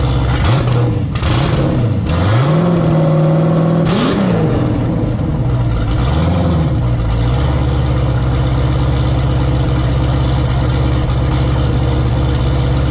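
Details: Turbo Camaro ("Cowmaro", 1200hp) first fire in a while, fresh oil, warmed to operating temperature with coolant about 190°F; several sharp throttle blips, then deep steady even idle, no knocks or misses. Normal idle and revs.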